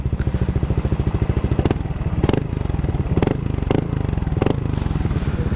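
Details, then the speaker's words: Replica Pro motorcycle exhaust pipe two years on, after fixing a faulty screen that caused a tinny rattle (tightening the crankcase screw had not helped): even, deep single-cylinder thump at steady idle, no tinny rattle, no longer sounds like a tin can; normal. "Hindi na siya tunog lata uli."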